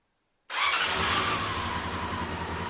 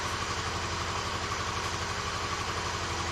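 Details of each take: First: Honda CB-1 four-cylinder motorcycle during a refurbish, testing a new ignition switch before soldering it in: the engine fires at once and settles into a smooth, even idle. Normal start. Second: Honda CB-1 four-cylinder motorcycle during refurbishment, cold start: uneven lumpy idle at first running on two cylinders, then third and fourth cylinders cut in and the beat fills out; misfire on two cylinders at cold start.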